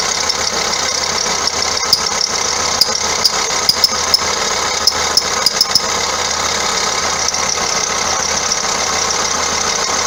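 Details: 2009 Vauxhall Astra diesel, complaint squeaky belt and knocking underneath: steady high squeal with scattered ticks over the idle; alternator pulley loose, wandering on its shaft and chafing the belt's inside edge; idler also suspect.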